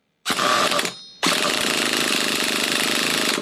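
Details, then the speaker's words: Nitro RC buggy engine that the previous owner could not get running: high buzzy scream starts easily, dies away, then fires again and runs before cutting out, stalling; likely low on fuel. "Now, this is the problem we had before."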